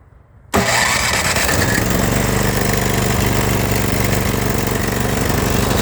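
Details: Snow blower gas engine, previously would not start after long storage, after carburetor bowl and orifice cleaned with carb cleaner: cranks and catches at once, settles into steady even running without misses or surging.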